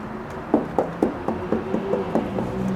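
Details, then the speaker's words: Pool plaster tapped before acid wash: about nine sharp taps in under three seconds with a dull, drummy ring, plaster lifted off the shell in a bubble; hollow plaster (delamination). "Tom can you hit the hit the paint you know the posture so that they can hear the hollow sound"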